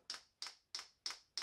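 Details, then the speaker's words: Chinese 12 V 5 kW diesel heater on a workshop bench, fuel pump being primed from the controller before first start; crisp even ticks about three per second over quiet background. "so we want to prime the fuel pump so that when the heater starts it gets fueled straightaway and we just press up to go on and you'll hear the fuel pump"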